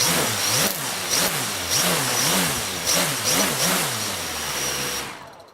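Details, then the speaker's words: Squirrel 360 quadcopter, Sunnysky 2212 980kv motors, armed with a little throttle: motor hum swings up and down in pitch about twice a second as the too-thin 3 mm legs flex and let the motors wobble; frame resonance oscillation. "so you could see there that the uh Motors really wobbling around so this is my fault I didn't even think about it"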